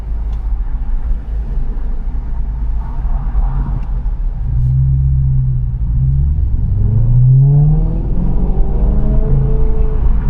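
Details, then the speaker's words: BMW E90 M3 V8, 6-speed manual, after fixing an exhaust rattle/leak (owner unsure it was tightened enough): deep, smooth V8 rumble rising and falling with throttle, no rattle, far less raspy than before. "That sounded kind of cool. Um, lot le a lot less raspy than I recall."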